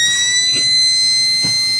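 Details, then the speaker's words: Filling a rebuilt 50 cal Bintac M50 10-inch airgun pistol: a steady high-pitched squeak from the fill adapter, which is the normal sign it has reached full pressure. "The squeaky squeak means you're there. I still hear it."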